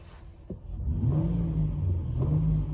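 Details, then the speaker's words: 2013 Honda Odyssey at about 102,889 miles, restarted after 27 minutes of running with the check engine light flashing: engine catches and settles into a smooth, even low rumble with no stumble or skip, so no misfire. "yup no misfire 1135 so there's the failure"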